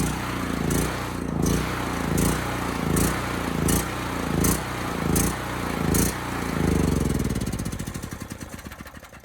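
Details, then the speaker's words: Homelite HG5000 generator after new stator and rotor fitted: small engine hunting up and down about every three-quarter second, then sagging and winding down as it runs out of gas; power came on, hertz and voltage low. "Okay, that was a quick run. I ran out of gas pretty quick, but the good news is the power came on."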